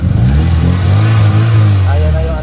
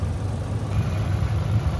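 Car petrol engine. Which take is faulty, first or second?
second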